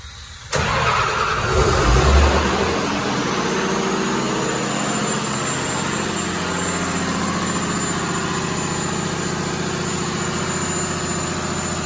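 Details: Diesel fire pump, weekly test in loud pump room: starter catches quickly, diesel roars up then holds a loud, steady, even run with no misses or knocks; normal start and run.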